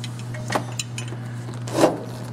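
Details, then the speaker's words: Chevy 350 / 5.7L high-performance engine with aftermarket camshaft, timing cover off, crank turned slowly by hand with a tool: two sharp metallic clacks over a low hum, a badly stretched, slack timing chain slapping; the chain is being replaced. "You have that noise in your gear set, your timing noise, you got a chain problem, which means you just need to do a chain like we're doing today."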